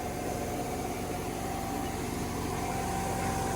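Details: Planter test run with the new 295 tractor, seed-drive motors turning and corn dropping: vacuum fan gives a constant steady whir with a clean level tone over the tractor idle, no flutter or rubbing; the fan runs normally.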